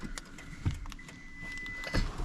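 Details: 2011 Toyota Tundra 4.6L V8: sharp lock-actuator clunks and a clean alarm chirp after replacing the main fuse link blown by a battery installed backwards; the alarm hadn't worked before, and now locks and alarm respond normally.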